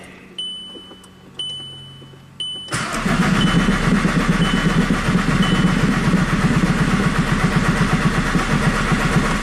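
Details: VW Jetta TDI diesel after an engine swap, P0341 cam performance code, scoped for injector pulse: dash chimes, then the starter cranks steadily about four beats a second for several seconds without firing.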